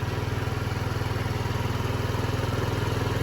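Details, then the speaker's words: 2007 Diamo Retro 50 GY6 scooter after new intake tube installed, running on non-ethanol fuel: small four-stroke ticking over with quick even thump, steady pitch, no misses or rattles; normal idle. "She's purring just fine. Non-ethanol fuel, by the way."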